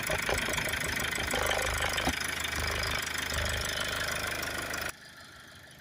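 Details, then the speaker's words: Toyota Avensis that would not start (flat battery), now idling after start, oil service due: fast light buzzing rattle over idle that goes quiet when the air box is held — loose air box rattle. "it's got a really annoying rattle there on the air box i don't know if you can hear that when you grab it quiet"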